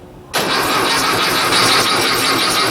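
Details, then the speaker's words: 1956 VW Beetle engine, first start attempt on a chilly day, battery charging, test light on oil sender: starter spins engine at steady even cranking speed without grinding; healthy cranking, oil pressure light confirms oil pressure. "there it goes okay we're getting oil pressure that is good news"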